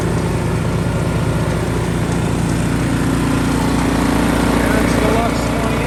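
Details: Ariens Deluxe 28 snowblower just fitted with a 369cc LCT engine, swapped in to replace its 254cc: a small single-cylinder chugging at a steady, even beat of about two per second, with no misses or knocks. A healthy first start.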